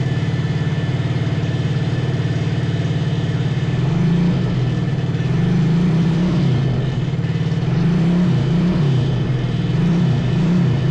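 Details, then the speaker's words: 125cc drift trike engine: steady low drone with repeated throttle blips rising and falling cleanly; throttle works and it runs and revs properly. "The gas switch works, too! It runs!"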